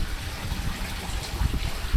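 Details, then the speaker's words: Boat air-conditioning raw water outlet under the hull, after seacock blockage suspected and resolved: steady splashing trickle, even flow without gurgling; water being drawn through by the single pump, discharging properly. "So anyway, we've got water coming out. So obviously water's being drawn through, which means hop"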